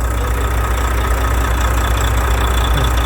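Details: Volvo FH with the 13-litre diesel, which came in with knocking in the valve cover: a deep, steady idle rumble with an even beat of about 2.5 per second. It runs healthy. Normal idle.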